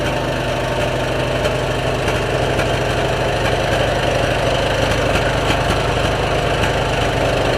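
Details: 2003 Stanley 46" garden tractor by Murray, Briggs & Stratton engine with new aftermarket carburetor, air filter and battery: steady, even single-cylinder beat at fast idle with no misses or knocks; running cleanly.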